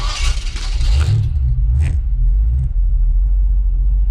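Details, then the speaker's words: Holden HQ with 357ci small block Chevy (10:1 CR, 230@50 .480 cam, Edelbrock Torker), TH400 automatic with B&M 3000 stall converter, Ford 8.8 4.11 LSD; idling in drive in car park, car barely creeps, converter soaks up torque, deep steady V8 rumble, normal. "I put it in drive, the car hardly moves. It moves a little bit, but really the stall soaks up most of it."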